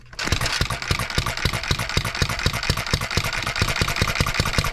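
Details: Single-cylinder engine, model built 1988, not known when last run, crank just straightened: fairly regular sharp exhaust pops, a few per second, with the odd skipped beat under its governor. Misfiring; owner suspects fuel-system junk and plans governor-spring adjustment.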